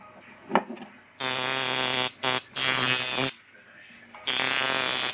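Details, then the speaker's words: Clone stealth-type rotary tattoo machine, motor nearly all original with an added L-bracket and phono jack, running unloaded at 9 volts: short bursts of thin, high-pitched buzz, sounding out of tune and running way too high. "yeah it sounds Out Of Tune it's just running way too high unloaded I'm running at 9 volts"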